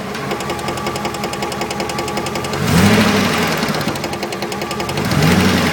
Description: 99 Dakota 4x4 with a 5.2l auto tranny, sounds like the noise is coming from the tranny but I'm looking for help, doesn't make the noise in park or reverse, only in neutral and drive, the first bit of noise is in neutral then the louder noise is when it's in drive